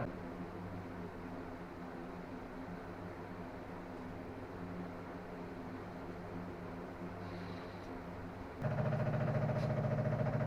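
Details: Chevy small-block 350 in a 1955 Willys wagon, first start attempt since removal from a '46 Chevy, fed from a portable tank; starter cranks in steady pulses but never fires, not getting gas, owner suspects the fuel pump.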